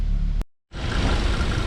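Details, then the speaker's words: 2015 Audi S3 EA888 after water pump and thermostat housing replacement and intake valve carbon cleaning: after a short dropout, smooth, even idle and quick rev with no misses; the earlier cold-start stumble from carbon buildup is gone. "So you get intake deviation, causes misfires, but idle's super smooth. Quick rev. Sounds good."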